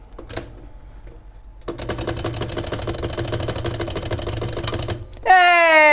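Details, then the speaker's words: Princess 300 typewriter after reassembly, bell loosened up: rapid ratcheting of the carriage, then one clear ding fading slowly; margin bell works properly. "yay we just needed to to loosen that up right so excellent so happy about that"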